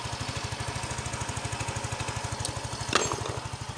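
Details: Yamaha Mio 125 (Mio M3) scooter with a rough, ticking engine, after the cam chain tensioner was adjusted: the small single idles evenly and low with no chain ticking, just one brief click; it now sounds healthy.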